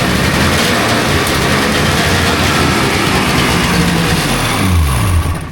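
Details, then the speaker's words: Rebuilt 1999 Polaris XCR800 two-stroke triple, carbs rebuilt and synced, first run briefly without coolant, lots of compression: loud even crisp firing, no knocks or rattles before shutdown; no funny noises, sounds healthy. "And uh it's not making any funny noises. Everything sounds good."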